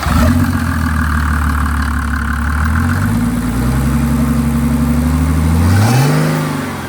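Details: Mercedes 300D OM603 turbo diesel with Holset HY35 turbo, 7.5mm injection pump, EGR blocked, hot: idles low and even, climbs smoothly through a rev and settles back; clean, healthy exhaust note.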